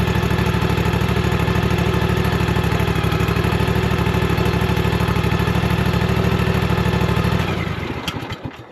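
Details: Toro TimeCutter 54-inch mower with Kawasaki FR691V engine, just after oil and filter change and full service: even, steady low thump at smooth idle, no misses or knocks, clean wind-down at shutoff.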